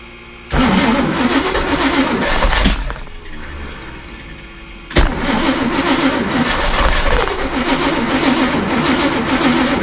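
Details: Chris Craft Commander 410 454 V8 run on old tank gasoline of unknown age (possibly 5–10 years) at about 1500 rpm: fast idle with an uneven, rattly clatter over the exhaust; owner suspects detonation caused by the stale fuel.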